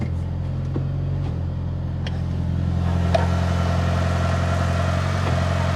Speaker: Clutch feels really, really nice. What a difference. Like I said, no funky noises. Oh, this is great. I have the clutch pressed in.